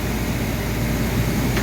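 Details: 2002 Reznor unit heater with induced draft motor issues and code 2 pressure switch failure, after cleaning, draft motor drawing 1.4 amps against a 1.6 rating: steady, even low hum with no grinding, squeal or wobble; normal running.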